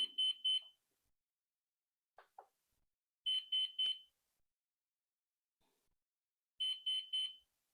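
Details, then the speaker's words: Flywing Bell 206 V3 RC helicopter, GPS unlocking in flight, after reconnecting radio: triple high beep bursts repeating about every three seconds over silence, a new distinct pattern. "okay so the radio is on I'm going connect it back to the helicopter it's beeping again but now it's making a different sound"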